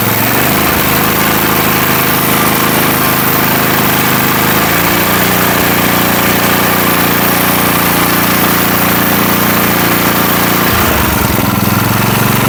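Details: Small single-cylinder engine on a $20 garage-find rototiller, started on choke after the carburetor was reinstalled. It runs steady and even, with clean step changes in speed and no misses or surging. Now running smoothly.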